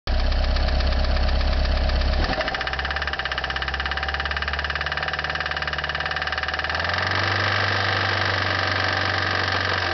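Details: 1989 Toyota Corolla, 1.6 litre petrol, 255,000 miles, well maintained but hard used, idling with a deep steady rod knock about three times a second.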